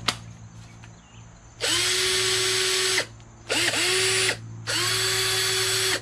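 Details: Sears Craftsman 19.2 V cordless drill on a new aftermarket 16-dollar battery: three strong bursts, each spinning up quickly to a steady high whine without bogging; the drill runs normally.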